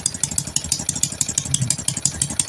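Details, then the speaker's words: Honda Karisma/Supra X125 motorcycle at idle: small single ticking about six beats a second with a sharp hissing puff on each beat; leaking exhaust; bike stalls after a few km of riding. "Mohon maaf untuk di bagian knalpotnya DII bocor ya jadi suaranya agak"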